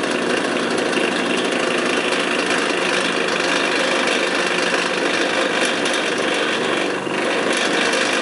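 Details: Old Magnetek electric fan motor running at steady speed: steady hissing roar with a rough gritty edge from badly dry, worn motor bearings.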